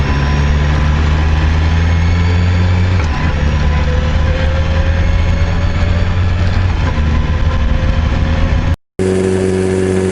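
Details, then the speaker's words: BMW S1000RR engine revving then holding steady: a light tapping clatter under the exhaust from a worn camshaft leaving a gap between rocker arm and cam; the camshaft must be replaced. "ロッカーアームと、カムシャフトの間にはい。隙間ができて、はい。カタカタカタカタ音が鳴ってるみたいなんです。"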